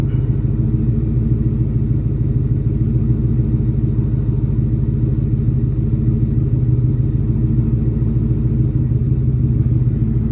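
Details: 1996-1998 Mustang GT V8 after Dragon Fire coil pack and plug wire install and clearing the check engine light: deep strong rumble, even and clean through revs with no stumble or misfire; idle extremely smooth, healthy engine.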